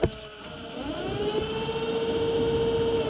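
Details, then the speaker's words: VW air-cooled 2332 stroker (1968cc) bus generator being jumpered from battery plus to polarize it after sputter-and-die symptoms; steady whirring tone comes up to speed and holds even, generator spins freely as a motor; normal generator motoring. "okay so i jump it from the plus on the battery here get this to connect okay now this supposedly should spin it and it is spinning it you can hear that so"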